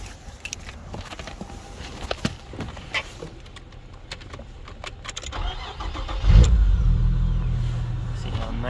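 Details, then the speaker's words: Nissan Maxima with a VQ30 engine after installing Audi R8 ignition coils: after some handling noise the engine starts cleanly and settles into a smooth, calm, steady low idle with no misfire or sputter. "and neat it started up. Nice calm idle. No misfiring, no sputtering."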